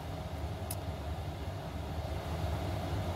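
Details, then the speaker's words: Diesel heater after motherboard/controller swap, ramping up: deep steady roar with slight building flutter, apparently maximum fan speed and fuel delivery; settings may need tuning; third temperature bar up. "that's certainly going now that sounds like maximum fan speed and probably maximum fuel delivery as well"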